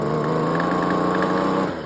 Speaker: I think this got a busted piston. You hear that? That's knock.